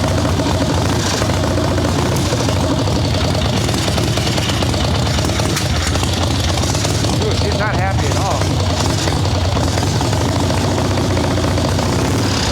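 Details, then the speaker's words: Harley-Davidson Ironhead Sportster chopper, Mikuni VM38 carb, choke off after brief warm-up, idle bumped; V-twin blubbers and stumbles, boggy, owner unsure it's just carb; plugs still dark, running too rich. "She's not happy at all. That almost didn't sound just carb to me."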